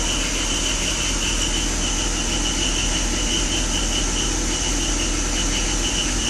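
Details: 2004 BMW 325i E46 petrol engine just after cold start, before replacing oil separator and DISA flapper and cleaning injectors and idle valve: shaky, stumbling idle with misfire; hesitates only at idle.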